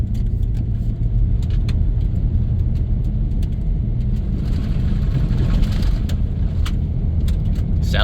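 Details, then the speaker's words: 1997 Dodge Grand Caravan SE, abandoned 4+ years, on its replacement automatic transmission during a road test near 40 mph: steady engine pull and road rumble, no slipping, flare or clunk, upshifting through all gears into overdrive; shifts great, though it leaks fluid. "all right don't feel any slipping or anything oh and we added a mile to it look at that and there it goes an overdrive oh it's got all the gears and it shifts great"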